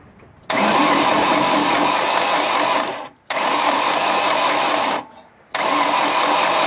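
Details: 1998 Ford Escort: three spells of starter cranking, a few seconds each, with no catch or firing. Cranks but does not start; cause unknown.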